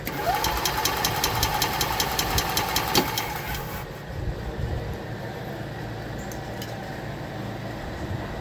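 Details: 2021 EZGO Express L4 EFI, a crank-no-start being diagnosed with voltage checks on the relay and sensors: the starter cranks with a quick regular chug for about four seconds and stops without the engine ever firing.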